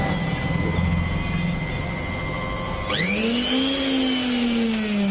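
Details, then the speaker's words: Mixer grinder motor after the broken carbon brush wire was rejoined: it snaps on and whines up to a high, steady pitch with no sputtering; the motor runs normally after repair. "बाकी मिक्सर का motor okay."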